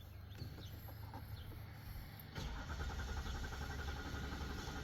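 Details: Diesel truck with ECU issues after fuel injector programming: starter turns the engine over with a steady slow churn but it never catches; no codes present, cause suspected, not confirmed.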